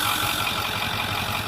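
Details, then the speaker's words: 2010 Ford F-350 Super Duty Lariat 4x4 FX4 Powerstroke diesel idling under the hood, no check-engine lights: steady, even low thrum with no knocks or misses, "humming along beautifully" — normal healthy diesel idle. "You can hear it's just humming along beautifully."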